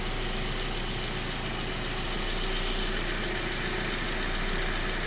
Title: 1.8t ticking noise. Part 1